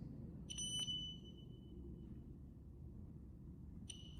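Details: CWU carbon fibre wheelchair: after the horn and increase-speed buttons were held together to re-enable it, two short high beeps about three seconds apart sound over a quiet hum, confirming the reverse beep is switched back on.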